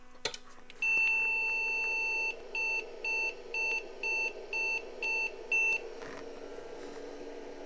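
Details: IBM PC/XT 5160 at power-on: one long beep followed by a string of short beeps about two per second, the POST code for failing memory bank 0.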